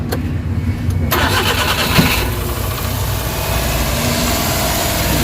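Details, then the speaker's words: Suzuki Big Eye Transformer (DA64/DA63) after replacing the oxygen sensor and ignition coils and adding engine treatment. Cranks, starts cleanly and settles into a smooth, steady idle; the earlier vibration with the AC on is gone. "Nawala na yung vibrate guys so okay na yung tira natin at least na-address talaga yung concern"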